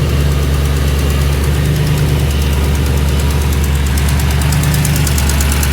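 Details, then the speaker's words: Audi C5 RS6 twin-turbo V8 idling: faint rapid ticking over a deep rumble from a blowing exhaust manifold. The manifolds were possibly not tightened properly or old gaskets reused; the engine must come out to reach them. "so I don't know if you're going to be able to hear it but that ticking noise is a blowing"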